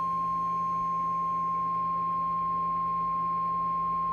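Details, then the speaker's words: RCI 2995 radio with amp section on, RF power down, 1 kHz tone injected and mic gain turned almost fully down; steady tone with low hum and no more DC transformer rattle, showing the rattle came from overmodulation. "Okay, now you hear that the modulation is not making the DC transformer rattle, right? Okay, you don't hear that vibration no more coming out the amp section, right?"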